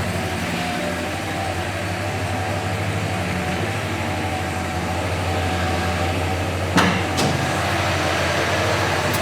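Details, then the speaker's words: 1967 Chevrolet Impala SS, rebuilt 396 cu in 325 hp V8, two-speed automatic, dual exhaust, idling about 800–900 rpm not yet warmed up, listened to under the hood: steady even rumble, a couple of clicks, no knock or miss. "It's idling about 800-900. Again, you know, it's got to warm up."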